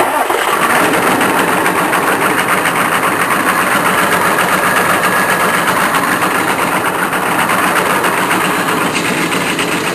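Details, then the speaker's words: K3500 diesel, sat six months, cold start on ether: engine runs with a harsh, gritty starter whirr that never drops away; starter stays engaged after start, owner suspects solenoid melted internally. "I think the solenoid has melted internally that's what"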